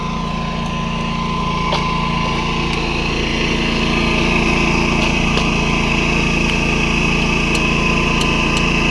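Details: Predator 11,500 W inverter generator, broken in, powering an inverter welder from the 240 V 30 A outlet: steady, even engine drone with a constant high whine over it, holding speed; carries the welding load smoothly, owner notes the noise.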